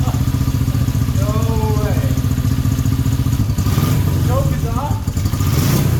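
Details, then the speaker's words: 1970s Honda CB350 twin, project bike, first start after carburetor work: fires promptly into a steady, even low rumble with no stumbling; running well, though the lower-compression cylinder pings more. "It starts straight away. All right, it's currently 11 p.m."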